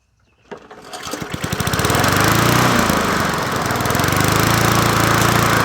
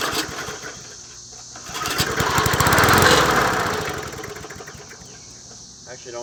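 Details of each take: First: Old free Murray 20" push mower #20201D, running with a substitute air filter fitted; pulls over, catches, then runs at a steady pulsing beat with slight wavering surge; crankshaft found bent and needing straightening — bent crankshaft. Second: Old Murray 20" push mower #20201D, missing its gas tank, on the first start attempt with fuel sprayed in. The single-cylinder engine surges for a couple of seconds, then fades as the fuel runs out; it sounds fairly clean and runs okay.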